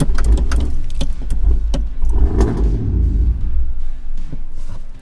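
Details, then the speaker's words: Cammed 450 hp lifted Tahoe just fitted with a new idle air control valve, heard from the cab. The starter churns rhythmically for several seconds before the engine catches; the owner first suspected a dead battery. A long crank before start. "it's not battery that's my truck come on happen ooh she started up great"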